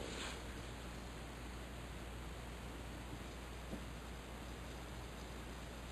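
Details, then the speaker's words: Faint, steady, unbroken hiss heard through five or six inches of concrete floor, all tools unplugged; owner suspects a leak in the buried 2-inch type K copper water main, as happened years before. "It's the same thing I heard five years ago. Four years ago. What was it? Rust when I had the water man break. Yep. There's my problem. It's amazing that through five or six inches of concrete. I hear it so clearly."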